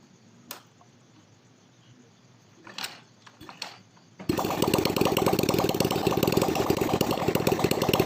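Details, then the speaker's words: Four-stroke motorcycle started without its exhaust, after a new 0.25 oversize piston, reset rings and new valve seals to cure white smoke and oil loss: a few clicks, then a quick, even popping idle with no knock or rattle; normal idle. "Oke ini kita Nyalakan mesinnya tanpa menggunakan knalpot dulu agar kita bisa melihat Apakah setelah ganti piston ini mesin sudah sembuh dari asap putihnya"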